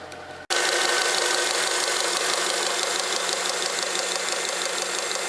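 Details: Honda Accord 7th generation, engine just started, under the hood: hissy running noise with a faint rapid tapping about three per second from the power steering pump side. The knock is in the power steering pump.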